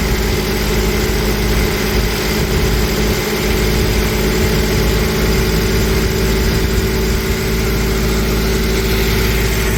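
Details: 1992 Toyota pickup, freshly rebuilt 3VZ 3.0 V6 on break-in oil, first startup, 20-minute break-in at 2,000 rpm: steady even fast idle, smooth unbroken hum, no knocks or ticks; gauges show no overheating, healthy.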